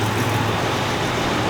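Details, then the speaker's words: 1985 Jeep Cherokee Chief two-door, carbureted V6 with a carburetor believed rebuilt and a new exhaust: steady, even low rumble with no knocks or misses; normal idle. "the engine sounds great it runs really well it's got a new exhaust on the thing man Idol's great"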